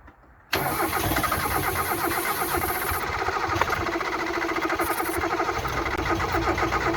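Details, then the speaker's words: Mazda MX5/Eunos Roadster off the road 13 years, spark confirmed but fuel pump still not working, no fuel flowing: steady cranking about four turns a second with faint uneven catches that never pick up; nearly fires, no start. "he's trying still no fuel pump working obviously i've got no fuel pouring in here still"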